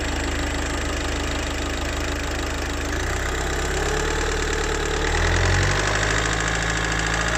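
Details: Engine producing a metallic rattle, roughly three to four ticks a second, that rises as the throttle opens; cause not identified.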